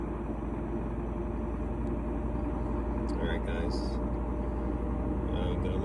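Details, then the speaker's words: GE washer after cleaning oil-soaked drive belt, motor and pulley and replacing the lid switch: ramping up to high speed, steady even rushing hum from the drum with no knocking or scraping; normal high-speed spin. "so we're ramping up here you can hear it so this unit actually had two issues we did replace the lid switch on it here we go high speed"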